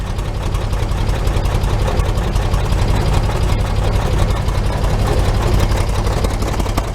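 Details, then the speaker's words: 1941 Chevy idling without choke, heard at the muffler after finishing welds on the muffler-to-pipe joint: steady, even putter, no popping from exhaust leaks; fuel has too much Marvel Mystery Oil. "Sounds quite even. Very quiet. I don't hear any popping, which is when outside air is pulled in through the gaps in the exhaust pipe."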